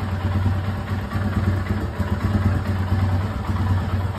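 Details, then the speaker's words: 2022 Royal Enfield Himalayan cold-started after two days sitting, without the cold-start control, after the TPS voltage was raised from the dealer's .620 V: steady, even single-cylinder thump at idle without stalling; idle settles at 1250 rpm when warm. "once it warms up the idle settles on 12.50"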